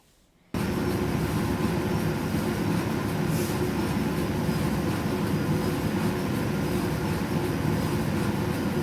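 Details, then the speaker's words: Electrolux EDH3674PDE heat-pump tumble dryer after repair of a strange noise: steady even low rumble of the drum turning smoothly, no knocking or squeal; normal drum rotation. "donc on fait tourner et apparemment ça fonctionne correctement je vous fais écouter tout ça"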